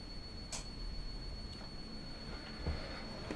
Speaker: one of the biggest problems with electroluminescent material you can hear it whistling that it operates at quite low frequency it operates audible frequency